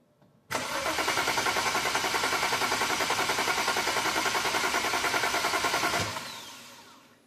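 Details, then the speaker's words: 2010 BMW 135i, N54 engine, MSD81 DME, immobilizer faults: steady starter cranking about three and a half beats a second for five seconds while scoping coil spark, injection and DME voltage, never firing. Crank no start. "Alright, so I'm going to crank it over, see what all those channels show us. And again, I'm just watching the coil spark and injection because I want to see which one of the two we're missing, if we're missing one of the two or both, and along with that voltage at the DME."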